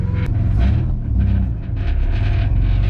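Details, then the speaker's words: Ford Falcon AU drift car with a newly fitted exhaust: low, lumpy drone at low revs with a loose metallic buzz from an exhaust hanger hitting the spare-tyre holder. Rubber padding is planned as the fix. "oh God that noise horrible there's like the hangers touching the spare tire holder so probably gonna put a bit of rubber on there"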